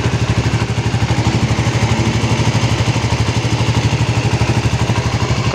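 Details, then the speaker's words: Suzuki GSX-R 150 after 6000+ km touring, freshly started morning warm-up. Steady, even single-cylinder idle thump, no ticking or knocking; earlier cold-start noise gone, engine sounds smooth and healthy. "nggak ada suaranya Nitip ya bang suara itu halus loh"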